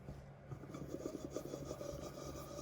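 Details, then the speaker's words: 2012 Yamaha YZ85 two-stroke with engine opened for fault-finding: hand-spun gearbox bearing gives a dry, gritty rasp with several tight spots, replacement gearbox bearing ordered. "Même lui, il y a quelques petits points durs. Là, il y avait un point dur. Ici, un point dur."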